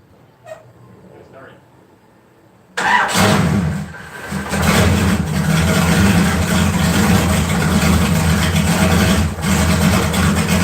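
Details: LS 4.8 V8 swap, just switched to 60 lb injectors, running a new remote tune after struggling to idle; engine cranks briefly, fires and settles into a steady, even, smooth idle with no misses.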